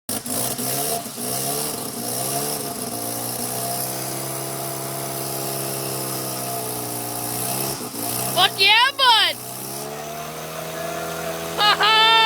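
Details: Mazda RX-7 FC3S rotary engine on its second start just after a rebuild: smooth buzzing settles into an even idle, then a quick clean blip up and back down; runs healthy, though a slipping belt is noted afterwards.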